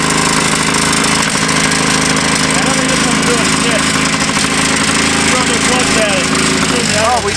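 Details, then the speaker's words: Vintage two-stroke snowmobile screaming at a very high, slightly ragged idle; high idle suspected from idle screw turned up, uneven running suspected from a bad plug on one cylinder. "Yeah, it's revving to the moon and sprung weird, waited weird. It sounds like someone's got the idle turnway up and it's got a bad plug."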